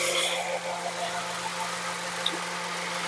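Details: Warm idle after a long drive on a used Toyota Corolla Altis 1.8G, about 107,000 km: smooth, even hum with no misses, ticks or knocks and no smoke; a healthy engine running steadily.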